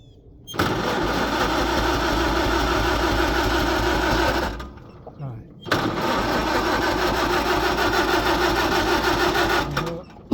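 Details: Farmall H tractor flooded by choking, carb drained of gas, gas on; retry still won't fire. Two long bursts of fast, even starter churning around three turns a second, never catching: cranks, no start.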